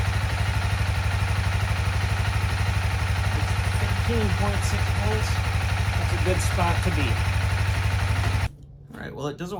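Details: 2016 CBR300R with 1133 miles, parked 7 years, idling after a coolant top-up with the battery charging: a steady, even thumping idle at about three beats a second, deep and regular with no knocks or misses; a healthy idle.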